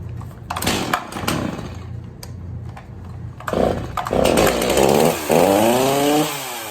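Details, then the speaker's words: Stihl MS260 chainsaw after reattaching a popped-off pulse line, covers on: fires up, buzzing pitch climbs cleanly and holds steady at open throttle without stalling or bogging; normal running. "So there you go, the chainsaw's running absolutely good again."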